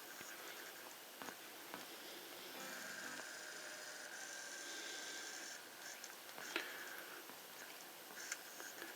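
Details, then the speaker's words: Bose Wave Radio CD player, cold: faint, irregular clicks about every two seconds as it tries and fails to read; it only plays properly after about 20 minutes of warm-up, pointing to weak capacitors that are to be replaced. "If you look at the number here, it's trying to read, but it's clicking."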